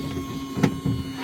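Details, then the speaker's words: Alfa Romeo 147 Twin Spark eco (105 hp) with crank no-start, no fault codes, phone mic near the fuel pump, ignition on only: faint steady low hum held evenly; normal fuel pump priming after repair. "I can hear it, just with ignition on. It did run, okay, again. Okay, okay. And voila, and I can hear permanently the pump working."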